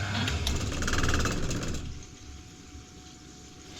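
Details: Oil boiler after bleeding the fuel line: burner motor chugs about four beats a second without firing, then faint hum as it goes to lockout because no oil reaches the burner.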